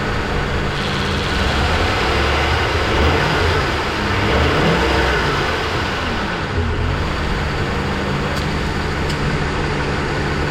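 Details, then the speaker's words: 2008 Ford Expedition 5.4L V8 idling smoothly and evenly after the A/C compressor pulley bearing was replaced; the previous noise is gone, with no grinding or rumble from the belt-driven accessories. "Well, that is a whole lot better, and I'm happy with that."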